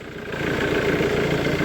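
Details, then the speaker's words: Diesel idling on an absolutely dead battery, engine running sweetly with no codes: a low, rough grumble from the front accessories, suspected as a bearing in the aircon or alternator rather than the engine. "Sounds like a bearing down here. I'd imagine it's aircon or alternator or something a little bit grumbly down there. But the actual engine itself seems to sound decent."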